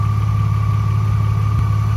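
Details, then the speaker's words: BMW E36 idling while warming up: steady, fairly high-pitched whine constantly above a smooth idle rumble, unchanged throughout; present for two years, source still unknown; engine whine at idle. "And I mean this whining noise uh the car has been making this noise for 2 years and it did work."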